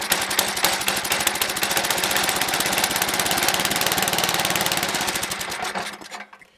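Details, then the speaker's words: Toro 724 snowblower, 7 hp two-stage, unused about two years, sat all summer, new fuel line, choke on: small engine chugs unevenly at a fast patter, stumbling before dying; rough running from the carb, needs carb tuning or removal. "I think that carb's got to come off. Can I get it hand. Anyway, it needs some carb tuning and maybe the carb off."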